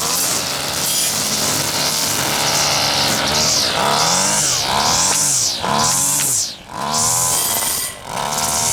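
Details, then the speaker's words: Husqvarna two-stroke trimmer after carburetor clean and reassembly, test run without air filter: crisp buzzing revs up and down cleanly, even throttle response, no bogging or surging; runs properly, high needle maybe needs slight tweak. "maybe some slight tweaking of the high still but that's about it yeah a okay I think that's got it"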